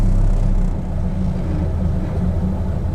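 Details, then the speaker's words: Cold carbureted car at salvage auction, just after choke turned off: low uneven idle loping about four times a second; rough because not yet warmed up. "idles out though rough it's just not warmed up yet"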